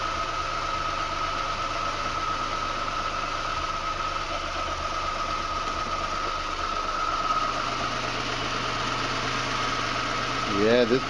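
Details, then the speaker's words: 1986 Chevy Sprint just fitted with a 1979-80 Datsun 210 carburetor on a custom spacer, vacuum lines reconnected: small engine idles quietly and evenly with a faint steady tone and a short rev at the end; runs smoothly. "sounds like it's running really smoothly"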